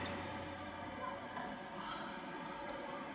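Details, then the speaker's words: Old Seagate 80GB SATA hard drive, first power-up: faint sharp clicks at uneven gaps as heads knock; drive dead, wear of platters and heads suspected. "бьется головками но это все это головка значит умерло такое бывает у меня в ноутбуке у знакомых стоял такой же 6 десятка точно так же умер"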